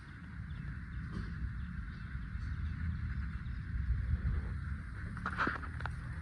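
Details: Renault Kwid idling: short creaky squeaks as the clutch is worked, from a worn sleeve inside the clutch cable; replacing the cable removed the noise and freed up the clutch.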